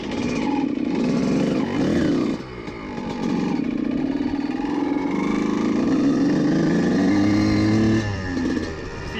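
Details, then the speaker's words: CR125 two-stroke being jetted, riding through the gears: revs climb but stutter and crackle unevenly through the midrange of the throttle, where the needle acts; needle is too rich and spits, so the clip position is to be moved. "vous pouvez entendre juste dans le milieu de gamme là, il est un peu de découpage qui est juste là où cette aiguille serait affectant"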